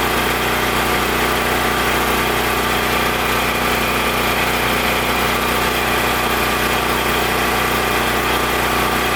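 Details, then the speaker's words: Powerstroke 6000 W generator with a 14 hp Honda-clone engine after rotor repair and governor tab adjustment: steady even drone holding speed, no hunting, knocks or misses; runs smoothly. "so good i'm just gonna do the rest off camera here i just need to assemble a few things here and there but this generator is good to go"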